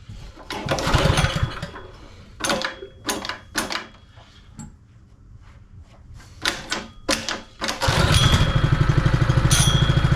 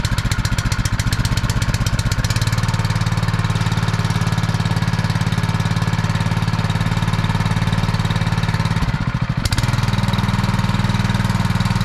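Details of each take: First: Honda firefighting pump engine, sat unused over 2 years, started while still cold: after some clatter and knocks it fires and settles into a quiet, steady, even idle with no misses or knocks. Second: Honda firefighting pump, sat unused over 2 years, primed with valves shut: small engine drones steadily, then sags and stumbles around nine seconds as it loses prime, cavitating from an air leak sucking air through the suction draw.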